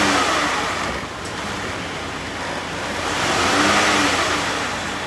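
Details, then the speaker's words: 2012 Chrysler Town & Country minivan, 186,000 miles, after sitting in a field for years; tested through all gears after a shift solenoid pack, fluid and filter change. Smooth engine rise with faint whirring stepping in pitch through shifts; normal transmission operation. "got the transmission working, we got the AC ice cold, and I want to just point out that I did originally say this had 188,000 on the dot."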